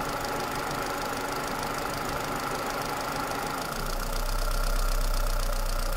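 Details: Toyota Celica 2ZZ engine: a regular knock about four a second over the idle that grows louder as revs rise; engine knock, cause unknown.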